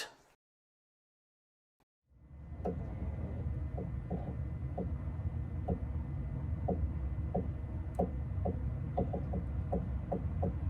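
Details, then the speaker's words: Mazda Tribute/Ford Escape on blocks with wheels off the ground, steering turned left and right from inside; short repeating creaks over a low hum, steering creak when turning. "okay the wheels are off and I'm going to go inside the car and turn the wheel to the left and to the right so that you can hear the creaking sound whenever you turn left and"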